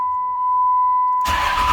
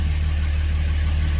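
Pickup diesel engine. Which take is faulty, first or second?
first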